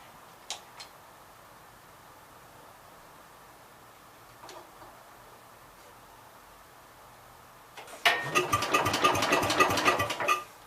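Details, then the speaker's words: 1966 Gravely C10 with under-flywheel magneto coil, owner suspects failing coil as it is eating points: starter spins engine briskly about two and a half seconds with no firing; cranks but no spark. "I'm thinking that the coil must be starting to go bad on this thing, because it's eating points."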